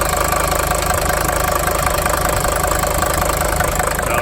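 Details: 1980 Mercedes-Benz 300D diesel bought at auction, needing steering and other repairs; even diesel clatter at steady idle, about three beats a second, no misses or odd knocks. Owner calls it a good engine. Normal idle.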